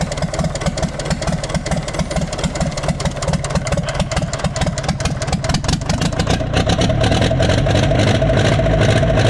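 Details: Universal 550 diesel tractor at idle during troubleshooting. A steady, heavy knock about twice a second sounds over the diesel clatter. The connecting rod bearing is worn, with up-and-down play, and the crank shows about a 1 mm mark.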